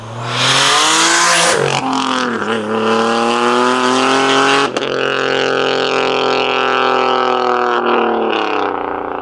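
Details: Single-turbo 370Z Nismo on a road drive after an exhaust-leak repair, on a hot day near 100 degrees. Clean rising pull through the gears with crisp shifts and no puffing or ticking. Normal exhaust note under acceleration, exhaust sealed.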